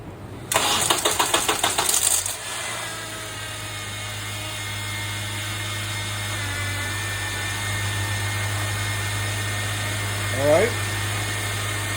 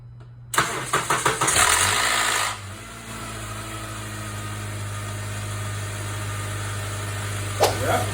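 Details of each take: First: Honda Accord, first start after the VTC actuator was replaced to fix an early-morning startup rattle: about two seconds of cranking, then a smooth, even idle with no rattle. The repair was successful. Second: Honda Accord cold morning start: a loud clattering rattle for one or two seconds, then a steady idle; a worn VTC actuator on the intake cam that does not hold oil pressure.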